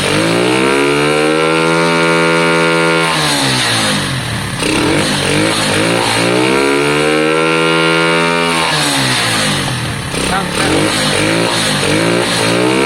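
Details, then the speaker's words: Lexmoto Valiant motorcycle converted from EFI to carburettor, on stand: pulls up through the revs twice, pitch rising smoothly and falling back without stumbling, peaking cleanly and better than before; owner reports valve issues. "ah that sounded better that definitely sounded better um it peaked more"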